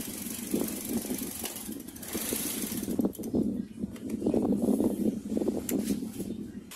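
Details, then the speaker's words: Car engine idling around 700 rpm, MAP sensor unplugged as a demo: idle rpm surges up and down unevenly, sagging and recovering, then the engine stalls; hunting idle and stall from the unplugged MAP sensor. "okay mga paps so Napansin niyo nung binunot ko to yung RPM niya biglang nag-iiba-iba bumaba tumaas bumaba tumaas tos biglang mamaya-maya biglang namatay"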